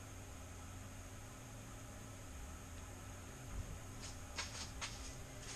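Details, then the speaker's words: Newly installed DIY radon mitigation inline fan, heard up close: only a faint even low drone over room background, no buzz, scrape or wobble; running quietly and healthy. "So it's running, and you can barely hear that. Very happy with it."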